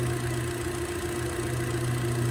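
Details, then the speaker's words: 2012 Hyundai Elantra with brand-new overhead-cam 16-valve engine replaced free under Hyundai engine recall, close-up after start: smooth, even low idle with steady rhythm and no tapping or misses; normal, clean idle after repair. "So let me start this engine and let you hear it run. Notice that is as smooth can be."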